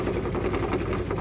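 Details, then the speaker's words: Kazuma Mammoth 800 side-by-side, bypass electric fuel pump run from the key feeding the carburetor via 1/4-inch line, with fuel visibly returning to tank: fast, even ticking hum with steady rhythm, no stumbles; pump delivering normally. "Filling up the carburetor, and see, this is the return line. See how the gas is returning to the tank."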